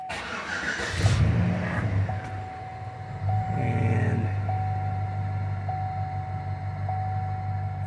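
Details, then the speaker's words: 2008 Chevrolet Silverado V8, 203,000 miles, after new plugs, wires and work on cylinder 6 injector for intermittent misfire, warmed up: steady, even idle with no lope or miss, faint tick and fuel pump hum; normal idle. "right now there is no no miss island nice and smooth"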